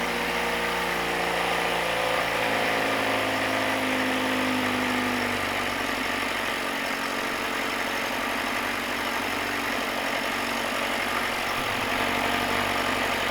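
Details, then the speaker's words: 1967 Mercury Merc 60 6 hp twin-cylinder two-stroke outboard, first runs after decades: busy, uneven burble whose tone shifts partway through as an air leak leans it out, then stalls. "So, even with that air leak, it ran surprisingly long, but it did stall out. And you could hear the change in the way the engine was running."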